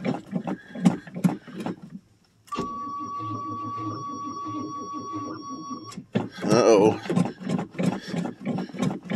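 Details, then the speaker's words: 1985 Chevrolet Suburban, cold start in snow after sitting a month and a half: slow labored cranking about three pulses a second that won't catch, warning buzzer between; weak battery, needs jumper cables or a charger. "uhoh well better is going to hold [Music] up bu nope looks like I'm going to have to take and find some jumper cables or battery charger"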